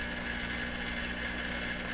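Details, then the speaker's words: 1925 Lacault Ultradyne receiver with no antenna connected and the volume turned up: constant hiss with a thin steady whistle and a low hum underneath, still sounding like a radio. "okay we have no antenna hooked up and what do we hear with no intent are we here to turn the volume up over here sounds like a radio doesn't it with no antenna"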